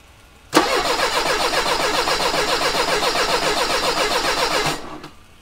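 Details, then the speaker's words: 1985 Mercedes 190E with KE-Jetronic and a replaced fuel accumulator; fuel pressure was too high and a clog is suspected while the setting is dialed toward 3.5. Steady fast cranking for four seconds, about three to four turns a second, never catches: crank-no-start. "all right well that was close that was very very close"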